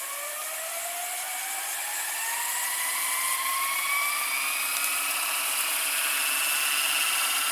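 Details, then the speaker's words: Toshiba M659 stereo VCR (early 1990s), fast-forward after a slow rewind: smooth whine climbing steadily in pitch as reels spin up, no slipping or chatter; very fast for its age, same idler sound as owner's other Toshiba; fast-forward working properly. "fast-forwarding into pretty good speed it's very fast for early nineties VCR like this the fast-forward"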